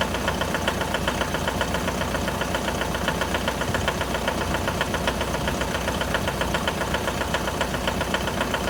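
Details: 2011 Mitsubishi L200 with the 4D56 diesel, cold start: sharp, regular knocking rides over the idle at about two to three beats a second. Cause uncertain. Cold-start engine knock.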